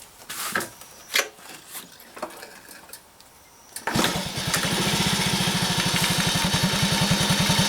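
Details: Commuter Honda Cub kick-started, settling into a quick even idle; quiet at first, then light ticking rides on top once warm, masked by slightly higher revs; likely loose valve clearance, owner tries tappet adjustment.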